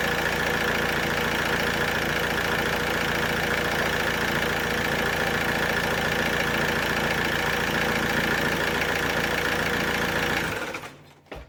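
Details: Alfa Romeo 147 1.9 JTD 8-valve diesel, hot engine: steady even cranking for about ten seconds that never catches, then stops; crank no start when hot, a common issue on these engines (P1320).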